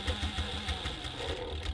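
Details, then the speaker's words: Clutchless servo motor on a Juki DDL-8700H sewing machine set to 500 rpm: light steady buzz under even stitching, a little louder than the other servo motor; this buzzing is normal, no knocks or grinding. "you will hear a little bit of a buzzing noise on this one when you do engage it it's a little louder than that other servo motor"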